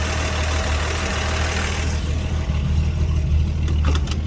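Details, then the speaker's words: 1948 Chevrolet Fleetline two-door sedan, old six-cylinder after carburetor cleaning, new fuel pump and battery, running on cloudy dirty fuel: deep, even, steady idle with smooth low beat, no knocks or misses; engine clean and in good shape. "But the engine's clean and in good shape."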